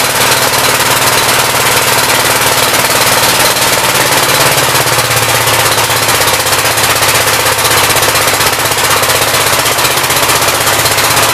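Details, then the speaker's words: 1959 Gravely L/LI single-cylinder engine with 20-over piston, oil that drained out mostly water, throttle bumped up: rapid even chatter at steady speed, no misses or knocks; runs well with awesome oil pressure; normal running. "yeah it runs and works pretty good it's got awesome oil pressure"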